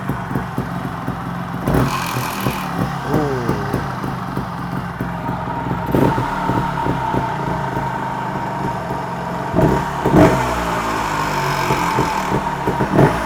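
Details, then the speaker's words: TRS 300 RR motorcycle on the bench, warm, revved up and down: loose metallic rattle, first suspected inside the flywheel, found to be the sump bolt fallen out again and vibrating; rattle from loose sump bolt. "it sounds like the bolt for sump has fell out again and that's what that noise is it's vibrating and there's me thinking it's coming from inside fly wheel"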